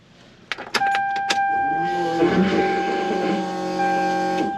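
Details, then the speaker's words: Toyota Supra with newly finished fuel system, fuel pump voltage regulator turned up all the way: a few clicks, then a loud steady high whine for about three seconds before cutting off; normal fuel pump priming, quieter when turned down. "you guys hear that it's crazy you guys hear the fuel pump go check this out turn it down and it gets quieter"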